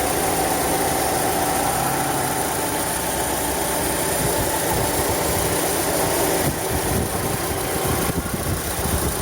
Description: Strange kind of grinding noise coming out of engine. The noise is sometimes louder than this and usually when the engine is cool.